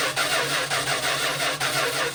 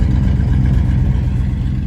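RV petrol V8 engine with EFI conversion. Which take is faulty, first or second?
first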